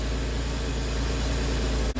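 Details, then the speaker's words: Nearly 25-year-old Porsche Boxster cold start after throttle body and MAF cleaning: smooth, even low idle with no smoke, misses, ticks or knocks; sounds good, normal healthy idle. "That's a cold start. No smoke. Sounds good."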